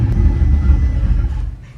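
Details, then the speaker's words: Engine started with the secondary air pump removed and the EPC light on: deep rumble stumbles and surges unevenly, misfiring, then dies within two seconds. ">> That sounds terrible. >> Yeah, it misfiring"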